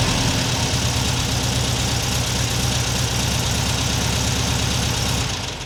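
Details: 1979 US-spec fuel-injected VW Super Beetle air-cooled flat-four with a new Vintage Speed stainless exhaust replacing the rusted, leaking factory original; mic clipped to the rear bumper by the muffler. Deep even burble, steady firing, no ticks, knocks or exhaust leaks; normal idle and revs.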